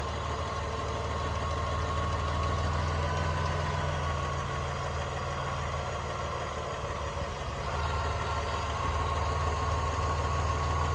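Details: 1999 Dodge Dakota idling steadily with a light, fairly even tick, much quieter after adding 1 qt of ATF to the oil at an oil change and running 10-15 seconds; valvetrain ticking, cause not pinned down.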